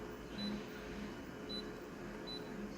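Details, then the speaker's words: Konica Minolta copier: faint low-pitched and quick high-pitched squeaks come and go over the hum and grow louder, possibly a dry scanner mechanism. "There's a low-pitched squeak and a high quick-pitched squeak in here. From time to time, it's not a good sound for Konica Minolta."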